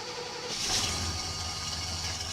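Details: Cold start of a farm pickup's 350 V8 with Turbo 400 transmission, possibly low on coolant: catches after half a second and settles into a steady, even idle with a hissy top end; sounds healthy.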